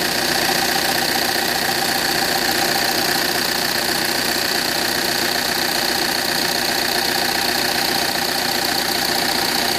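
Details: 2009 Audi A6 2.0 TDIe diesel at idle: sharp metallic tick about two and a half times per second, steady, near the common-rail fuel rail; source unconfirmed, alternator also behaves oddly.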